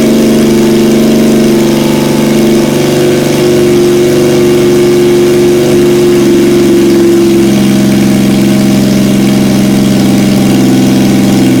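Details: 1977 Yamaha XS750, first start in 30 years, rebuilt carbs, velocity stacks, new oil, filter, plugs, resistors and throttle cable, auxiliary fuel tank: catches and holds a steady idle, pitch rising and falling with blips; runs evenly, no knocks.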